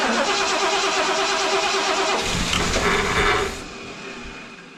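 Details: 1975 Lincoln Continental Mark IV, long-dormant revival, hot-wired with ignition on, in park: starter churns about three turns a second without catching, then winds down; cranks but won't fire. Owner unsure of spark, suspects electric choke; throttle cable disconnected.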